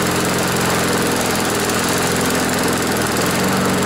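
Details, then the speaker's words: Briggs & Stratton lawnmower engine on a test start after replacing a sheared flywheel key and a bent blade from hitting something hard; it sat in rain overnight and may have water in it. Steady, even single-cylinder buzz with no misses, speed holding constant: running smoothly. "folks well that's an improvement it's been out in the rain all night there might be some water in there"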